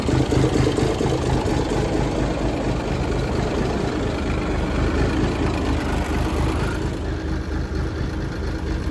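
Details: 1978 International Transtar II cabover diesel, first start after sitting 3 years; heavy low rumble pulsing near four per second as it cranks and fires, then settles into rough but steady run; successful first start.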